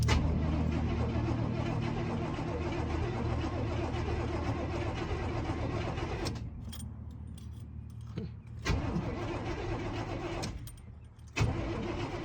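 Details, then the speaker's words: 1989 GMC Suburban V1500 4x4 left sitting since about 2006, first start attempt on a possibly weak battery: slow, steady starter churn with no firing at all, no fuel pump heard; cranks but won't start. "okay it does crank should I try and crank it just a little"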